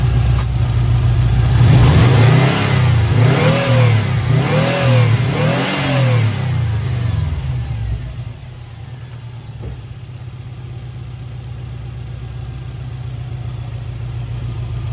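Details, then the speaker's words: 2011 WRX after a JDM engine swap with fresh oil and filter: several quick throttle blips rise and fall cleanly, then it returns to a smooth idle with no knocks or misses. Healthy free revving. "I'll give it a couple quick pulls just so you guys can listen to it."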